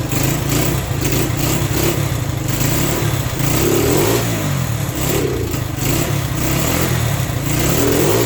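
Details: Honda SL100 single-cylinder motor in a 1975 SL125/XL125 frame, worn out, cold start on choke: barely holds idle, surging and sagging every second or two; rough running, carburetor adjustment or timing suspected.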